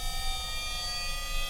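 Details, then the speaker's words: Standard 50 Hz induction motor on a variable-speed drive, stalled at high overspeed frequency then drive frequency lowered to about 200 Hz: high whine of several steady tones edging upward as rotor reactance falls, torque rises and it reaccelerates toward synchronous speed. "Hear it slowly accelerating. Yep. And there it goes. That's the reactance in the rotor. It decreases, your torque increases and suddenly the motor accelerates back to synchronous speed or yeah the rotating magnetic field minus a slip."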